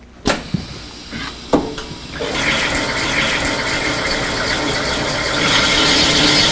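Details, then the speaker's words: Automatic wet plane/fine grinding of spaced samples on Aka-Piatto diamond disc: a couple of clunks, then steady wet rushing grind starting immediately as force is applied and holding even; normal diamond disc grinding with constant removal. "You can hear as soon as the force is applied that the grinding starts taking place immediately, and these diamonds, they do not wear like silicon carbide paper."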